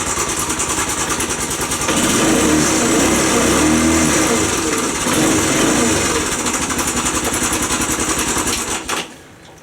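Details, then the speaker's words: Postie bike single-cylinder at idle after reassembly, tappets not yet adjusted: fast, fairly even tapping about three or four a second over the exhaust; top-end noise, valve clearance suspected, not confirmed. "Still noisy, but I don't know what that noise is."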